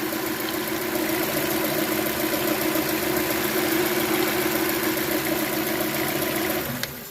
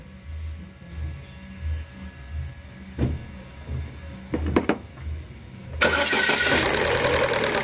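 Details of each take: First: Chevrolet Cruze LT after replacing both timing gears and setting timing: even, steady idle with smooth hum and no rattle before shutdown; normal idle, noise gone. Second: Chevrolet Cruze with cam gears exposed, engine started: a quick metallic clatter runs steadily over the idle, traced to the intake-side cam phaser gear.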